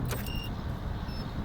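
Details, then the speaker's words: Electric Ford Ranger conversion truck powering up: a few short high beeps, then only a faint low hum. The start-up is normal; pressing the brake adds the vacuum pump sound. "It's running. About the most noise you're going to hear is those beeps."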